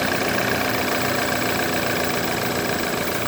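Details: BMW F10 with N20 engine, after timing chain replacement: fast, uneven light rattle over a steady idle, about three to four per second, sounding like chain or tensioner noise; cause unclear.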